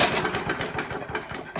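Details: Scott Bonnar mower, Briggs & Stratton Sprint 375 4-stroke, spark test with plug grounded to the block: quick rhythmic pull-cord cranking pulses that never catch; engine turns over but no visible spark.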